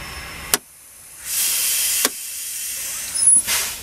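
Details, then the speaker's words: Truck air brake test, tractor shut off, service line disconnected, firm brake application held: sharp bursts of escaping air that stop as pressure drops; tractor protection valve closed normally at 50 PSI (minimum 20), working properly. "The air is now leaking from the service line. It will leak until the protection valve closes. Must close no less than 20 PSI."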